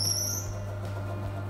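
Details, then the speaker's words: Woodfast BS350D 14-inch bandsaw, 2 HP induction motor with built-in brake: a brief high squeak at switch-on as centrifugal force releases the brake, then a steady motor hum; normal. "that little squeak at the beginning is the as it starts the centrifugal force then releases the break and then when we're finished we hear a click and it just applies that break just to slow down the blade a little bit faster"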